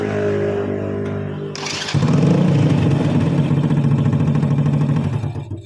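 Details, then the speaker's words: Honda Supra Fit motorcycle after starter motor repair (worn brushes replaced, loose magnet fixed, shim added to stop rotor rubbing): brief clean starter whirr, engine catches at once without throttle and settles into an even putter. "Nyalanya mudah ya. Ini tanpa ngegas dan digas tetap bisa, Kang Bro, untuk double starternya."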